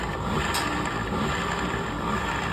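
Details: Scooter CVT after replacing the torque drive bearings: steady, even hum with no whine, grind or rattle, so it is running normally.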